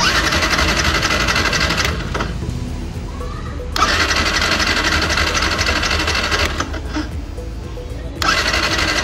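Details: Yamaha R15 motorcycle cranks with steady rapid starter churning, about four beats a second, in repeated bursts without firing; fuel pump fault, pump not delivering fuel.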